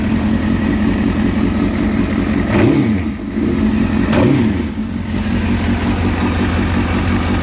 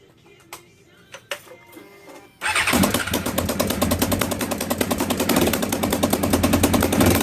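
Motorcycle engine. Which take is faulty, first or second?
second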